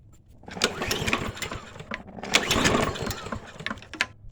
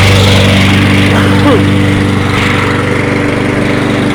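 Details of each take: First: Toro 22-inch Recycler mower, choke held, two-cycle mix primed; pull-cord cranking with a few brief pops that die at once, never catches; clogged carburetor jet, oil spewing. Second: Toro 22-inch Recycler mower after reassembly, burning off excess oil: single-cylinder putters at a steady, even beat of about three firings a second, no stumbles or surging; normal idle.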